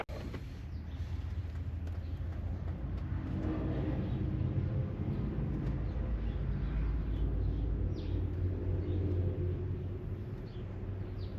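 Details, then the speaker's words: Farm diesel machine after a tune-up and topping up transmission oil through the dipstick hole: a steady low rumble while rolling, going through the gears with no bang or clunk. It is shifting smoothly, like new. "nothing like a fresh tune up she's shifting like she's fresh transmission just put her in purring like a kitten you hear that that was smooth"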